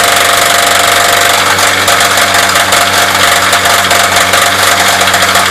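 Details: Chevy S10 2.2 engine already suffering a rod knock, revved hard during a burnout: loud, hard engine note with a deep repeating knock that follows the revs. Worn connecting-rod bearing.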